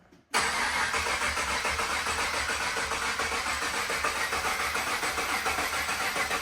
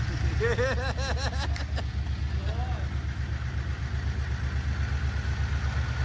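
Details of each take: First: Supercharged LS V8 in a GU Nissan Patrol at its first start attempt: the starter cranks steadily for ten seconds and it never fires. Injectors can be heard; the fuel pump is suspected of not running. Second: Harrop-supercharged LS V8 in a Series 4 GU Nissan Patrol with 6L80 auto and 3.5" stainless exhaust, at first start: deep, steady burble at even idle, no knocks or misses. Sounds good from the rear, with good oil pressure; healthy.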